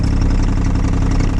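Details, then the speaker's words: Mahindra eMax 22 hp subcompact diesel tractor. It has a deep, steady, even diesel idle with no hunting, back where the idle is supposed to be. The tachometer cluster is faulty and only reads correctly in the PTO range. "that's where the idle is supposed to be and i got it working again"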